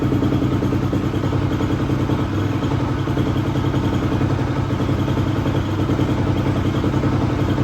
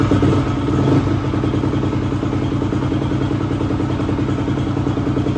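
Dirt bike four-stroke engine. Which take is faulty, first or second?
second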